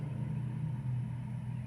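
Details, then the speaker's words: New 36,000 BTU TOSOT heat pump outdoor unit heard from about 15 feet away. Only a soft, even low hum with no rattles or squeals; it runs quietly and normally, barely audible. "and it's quiet. You probably can barely hear it."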